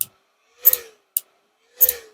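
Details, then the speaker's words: Vonder RIV135 inverter welder powered through a series lamp, microphone held close: sharp relay clicks about every second, each followed by a short buzz; cooling fan stutters as its 12 V supply keeps cutting out, relay chatter from faulty fan motor overloading supply. "O relé fica batendo. E o cooler, que eu mostrei lá no desenho também, o cooler também fica girando."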